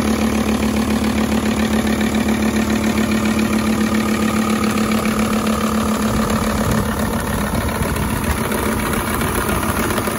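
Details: High-mileage Volvo S80 project car, no dashboard warning lights, starts first time every time and pulls well; even, steady idle with a regular firing beat, no knocks, misses or rattles: normal idle.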